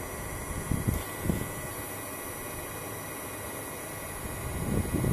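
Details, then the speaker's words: Webasto Thermo Top C diesel parking heater wired to a simple switch, first start: steady fan whir with soft low thumps from the fan and dosing pump, a little smoke, normal start-up. "premier démarrage ça fume un petit peu c'est normal donc la première chose que vous entendez c'est le ventilateur et la pompe"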